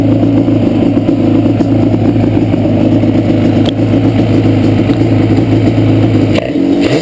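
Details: Yamaha Banshee two-stroke at idle: loud, lumpy, ragged uneven beat from the left cylinder misfiring, pipe not even warm; carbs rebuilt and balanced, air screws adjusted, problem does not follow plug; cause still unknown.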